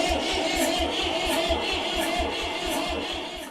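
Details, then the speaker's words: Barn-find Massey Ferguson tractor, sat for years, battery not dead: strong, even starter churn at nearly three compressions a second with no drag or hesitation, not firing yet; normal cranking. "well it's not dead yeah that actually sounds pretty good don't it come on"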